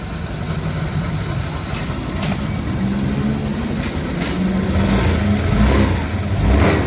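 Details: Honda Vario 150 after replacing the worn CVT block bearing that caused CVT noise: idles then revs smoothly with even drone, no whine or rattle from belt drive; transmission sounds healthy.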